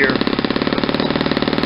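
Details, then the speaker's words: Saito 50 four-stroke on its first run after a new ring and bearings, turning an APC 11x7 prop on 10% fuel: slow, uneven, blubbery popping that never smooths out, with the needle deliberately set very rich for run-in. "because I got it's a really rich and you'll hear kind of blubbery"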